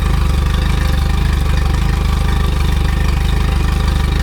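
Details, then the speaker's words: Outboard on its test run, idling evenly at about three firing pulses a second with no misses or knocks, telltale water flowing strongly; thermostat working well, normal healthy idle. "Yeah, that thermostat's working beautiful."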